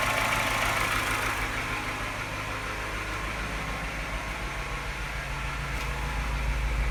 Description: Sounds not bad until the revs drop, then suddenly something changes and it starts sounding like a London taxi.